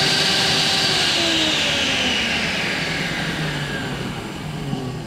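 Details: Eco magnet drill after fitting a new motor and new bearings, power-on test: clean, even high-pitched motor whine winding down smoothly, no scraping or crackle; motor and bearings sound healthy.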